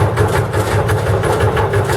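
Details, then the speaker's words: Dutch barge diesel, just air-started and revved up, compressor charging the start-air cylinder to 12 bar: steady diesel thrum with a light rhythmic belt whirr, which is expected; normal running with belt noise. "On va prendre ses tours. Alors, le bruit qu'on entend, c'est la courroie qu'on entend qui fait pas de Là, on est à 12 bars, on est bien."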